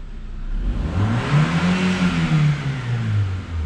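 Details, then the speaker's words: 2021 Chevrolet Beat that would not start or lacked power, after fuel pump replacement: engine starts instantly and revs smoothly and stably with strong even tone, no misses or hesitation. "la máquina se oye ya muy estable Recuerden que este vehículo no prendía la máquina se oye sumamente estable"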